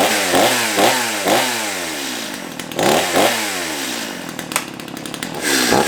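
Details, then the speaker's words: Stihl MS211 two-stroke chainsaw after restoration and chain sharpening, first run: revs up and drops back in repeated throttle blips, picking up cleanly and settling to idle; slight slop but running healthy. "well i'd say that's a success"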